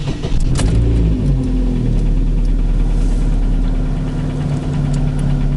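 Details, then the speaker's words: Chevrolet Cruze petrol engine, 239,000 km, idling: dull uneven knock under the running note, piston slap at piston reversal from a chipped-off piece of piston skirt; bore hone good, no scoring. "как поршень стучит во время перекладки откололась часть юбки поршня"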